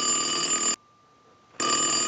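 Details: Western Electric glow phone after repair, ring cycle from an analyzer with the rear ringer volume control adjusted: a steady, bright electronic ring in two even bursts with a clean silent gap between. The ringer works properly.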